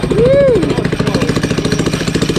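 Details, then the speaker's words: Drift go-kart small engine with no exhaust fitted: loud rapid popping, about a dozen a second, over a rough open-pipe beat; backfiring, which the owner suspects is from the missing exhaust. "right dude this thing is backfiring look huh well it's cuz it doesn't have it it doesn't have an exhaust"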